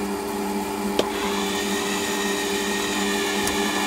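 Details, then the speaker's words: Lathe at about 450 rpm roughing a Stuart Models S50 engine cylinder: a steady mid-pitched whine with a higher singing tone over the cut from the power feed motor, which is due to be replaced with a NEMA 23 motor. "that noise you can hear is the power feed so yeah it's quite an aggressive feed but i am roughing out"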